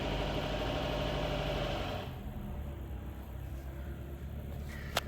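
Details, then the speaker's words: Mitsubishi Lancer X 1.5 4A91, automatic, about 261,000 km, rebuilt after high oil use, piston knock and sealant damage. First start after repair with oil pressure up: a smooth, quiet, even idle with only a faint whir from the муфта (coupling). "работает ровненько работает тихо чуть-чуть муфту слышно но от этого никуда не деться"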